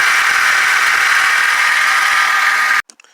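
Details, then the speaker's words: 2012 Hyundai Genesis running: constant loud rushing whine that stops at shutdown, traced to the idler pulley, which is being replaced. "It's making a crazy noise, and let's start it so you can hear that. Here's the noise it's making. It's coming from that idler pulley right there, so that's what I'll be changing."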